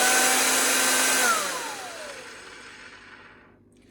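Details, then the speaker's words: Vacuum cleaner motor just reassembled and plugged in: high whine with gritty rasp underneath, pitch sliding down as it coasts off; sounds better than before but still grating, cause unknown; no dust seal fitted. "Well, that sounds a lot better than what it did. Still got a bit of a grating sound."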